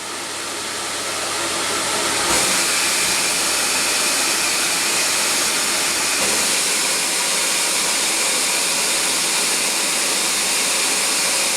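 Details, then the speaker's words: CamVac dust extractor with cyclone in workshop, about 75 dB versus 52 dB quiet room; steady rush of extracted air over a vacuum-cleaner-like motor drone, no surging or rattles, running normally. "okay so the motor noises is much like a domestic vacuum cleaner at home you really hear the motor working and it's the the main part the noise is the air being extracted from the machine"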